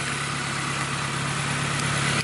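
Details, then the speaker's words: First start after the engine was reinstalled with the transmission removed and refitted, with O2 sensors possibly unplugged: smooth, steady idle with an even low hum and no tapping or knocking; the engine sounds healthy, normal idle. "But yeah, thing sounds good. It's running."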